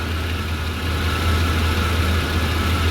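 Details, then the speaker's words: 1993 GMC 1500 at steady idle after a serpentine belt replacement: even idle and low hum, with no squeal from the belt drive. "No more squeaking. >> Yeah, I was hearing that squeaking. I don't hear no squeaking no more."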